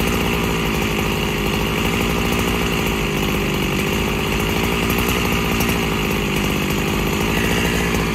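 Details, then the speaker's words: Freshly rebuilt Husqvarna 365SP chainsaw cutting dry oak about 14 inches wide, still needing a carb kit: loud steady two-stroke drone with a blubbery, uneven note; loading up, low-speed mixture too rich. "I don't know whether you could hear that, but she was loading up. So she's too rich on the low end."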